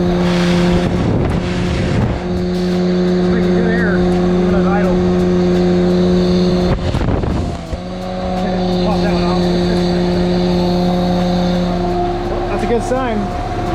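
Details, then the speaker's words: Lifted Honda Civic wagon with M62 supercharger, just restarted after completing the cold-side intercooler piping loop; free revs while warming up hold a clean, steady tone that climbs and settles evenly with no rattles or misses; it is making boost, so the supercharged engine runs normally. "so let's get on the supercharger let's let's let it warm up first i'll keep going to see the charger well she's making some kind of boost pop it off"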